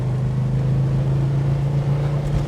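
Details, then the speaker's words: 1969 Dodge Charger R/T, 440 four-barrel V8, four-speed manual, about 30 miles since full restoration, warming up, in second gear, heard from the passenger seat: deep even rumble, steady burble, no knocks or misses; normal running under acceleration. "we got a little temp in the car going take it through the gears warm it up again that great V8 Rumble second"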